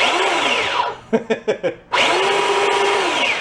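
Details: Small drive motor from a garage-sale find, fed 24 volts from batteries: a high, even whine, a few clicks while switched, then a smooth spin-up again. The motor runs normally.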